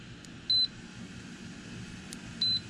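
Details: Lasko outdoor patio fan salvaged from the trash, after new control switches were soldered onto the board: two short, high beeps over a quiet fan hum as buttons are pressed. Speed and oscillation controls now respond normally.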